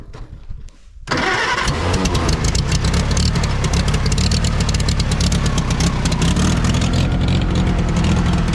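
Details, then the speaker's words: 1960 International tractor, started after fuel was added: a short crank, then it fires and settles into an even, strong idle with a steady low thump and no misses; it runs much better with fuel and sounds healthy. "That's a lot better with fuel. That sounds good. Yeah, it's good."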